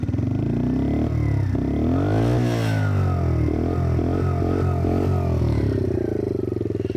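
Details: Single-cylinder motorcycle just collected after a month's wait, in break-in (first 300 km to 6000 rpm, then 7000), pulls cleanly up and down through the revs under wind noise, even and unstrained; owner thinks it sounds different from before; normal running.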